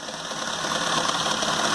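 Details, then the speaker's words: Peugeot 206 at idle, engine running badly, hose vibrating, oil leaking onto the alternator, apparently from the power steering: steady gritty whir with light rattle from the belt side. "você vê que o motor tá com funcionamento horrível Pessoal o barulho parece ser do alternador tá?"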